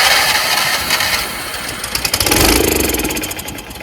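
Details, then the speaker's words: Troy-Bilt 30-inch rear-engine rider, Power More 420 engine, off choke on a cold 35-degree day. It fires briefly on starting spray, then the beats slow and fade out. Starved of fuel from the carburetor; owner suspects water in the fuel. "Let's spray it again. See. I have a feeling there's water in there."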